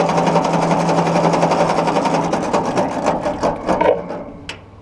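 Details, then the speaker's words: Ford Golden Jubilee NAA Red Tiger tractor (1953 or 1954), first crank after sitting over 20 years; oil pressure gauge didn't move: even starter cranking about four beats a second, not firing; normal cranking. "Oh yeah, she cranks over fine. Yeah. Well, there we go. Okay, so we got crankage. Very nice crankage."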